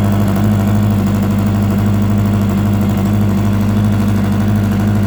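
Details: 2004 Yamaha R1 track day bike: steady idle with a rough, uneven rattle over the firing beat from the engine's left side; no smoke or power loss; owner wonders about spun bearing or valves, unconfirmed.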